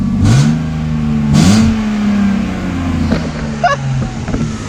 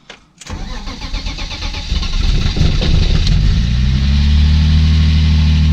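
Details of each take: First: BMW E30 started after a fix, having juddered badly before. The engine blips up and settles back with clean, steady pulls and no stumbling between revs. It is running smoothly. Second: BMW E30 brought back to the garage with its ECU refitted. It starts after a short crank and settles into an uneven, lumpy, wavering idle, running very rough and juddering; faulty engine sensor.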